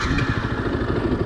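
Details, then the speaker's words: 2015 Yamaha YZF-R125 single-cylinder at idle, clutch squeezed and shifted from neutral: dull clunk as first gear drops in over steady idle; normal gear engagement, neutral light goes off. "you hear that clunk that that that means it's dropped into first gear and the neutral lights come off on the dash"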